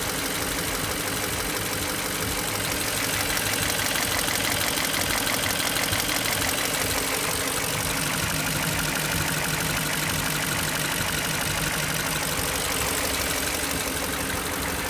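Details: BMW X5 after a timing job, at idle: sharp regular ticking roughly three a second over the engine note; source not pinned down.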